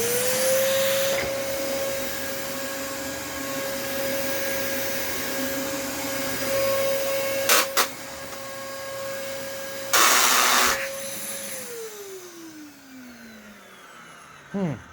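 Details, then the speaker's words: Late-model Dyson vacuum, motor sounding a bit rough, possibly clogged and needing cleaning: steady high whine broken by two sudden harsh rattling bursts before wind-down; suspected brush-roll clutch noise or something jammed in it, unconfirmed. "well that scared me a little bit i wasn't expecting that that's a bit startling i haven't heard the the clutch noise in a while"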